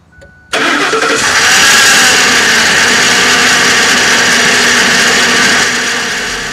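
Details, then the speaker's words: 2006 Ford E-350 5.4L V8 at idle: engine settles to idle with a steady high-pitched whirring hiss over the engine from the noisy serpentine belt tensioner pulley, before replacement of tensioner and belt. "here with a 2006 Ford e350 with the 5.4 liter engine with the noisy belt tensioner pulley"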